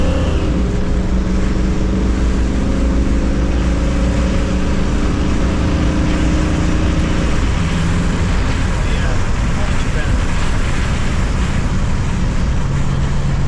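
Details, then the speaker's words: 1977 Jeep Cherokee Chief after a new ignition and rebuilt carburetor, fitted to cure spark and fuel issues: revs climb smoothly and evenly with a clean, steady pull and no stumble or popping; normal, healthy acceleration. "we got the new ignition on this thing and rebuilt the carburetor so now we'll see what she'll do [Music] see if it runs any better [Music] it's already sounding better"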